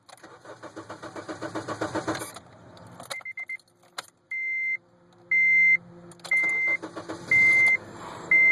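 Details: 2007 Honda Civic LX won't start despite new battery, cleaned/replaced ground wires and fuel relay; relay clicks with check-engine light; fast cranking for two seconds, engine briefly catches then stalls, chime beeping about once a second; owner plans to try an ECU.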